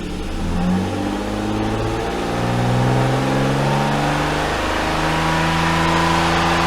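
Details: BMW E34 with S52 engine swap, after fitting different camshafts, battery low after two months sitting: revs climb and fall in clean even steps with smooth note, no misses or knocks; healthy engine, some normal valvetrain noise.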